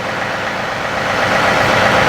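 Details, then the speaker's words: John Deere 3038e diesel tractor after rockshaft valve disassembly and adjustment, three-point hitch raised to nine: steady idle with smooth, even hydraulic hum, no pump strain or binding; hitch stops cleanly, normal hydraulic operation. "and it's stopping perfectly now 5 6 7 eight and then go all the way up to nine and it stops without binding the pump uh so that's great"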